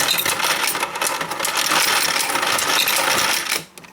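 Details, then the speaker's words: Royal Sovereign FS-44P coin sorter/counter sorting into tubes with auto-advancing rows; busy metallic coin clatter with fast irregular clicking while the motor runs, stopping abruptly near the end; normal sorting clicks, total $44.10. "But again, you hear that clicking sound when it's running? Again, that's normal."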